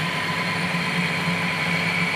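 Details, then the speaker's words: 1972 Weiler Matador SV lathe, slow fine facing cut on a generator motor coupling: steady harsh hiss with thin high ringing, bad sound and rough finish from a worn insert, improved after rotating it. "it doesn't sound good [Music] actually it sounds really bad"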